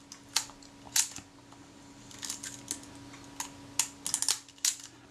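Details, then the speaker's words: Retina IIC camera during reassembly after service, shutter assembly and curved rack refitted: crisp light clicks and short whirr as shutter cocks just before the film advance stroke finishes, then fires cleanly; normal shutter cocking and release. "i can hear that shutter cocking before the film advance stroke finished but only just there is cocked"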